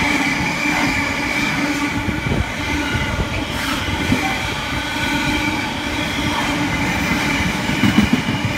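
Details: Class 66 locomotive 66.704 hauling a Selby to Felixstowe freight past Spalding on 15.03.2016: loud continuous roar with ringing tones and occasional squeals as wagons roll past; harsh running noise, attributed to recent rail grinding.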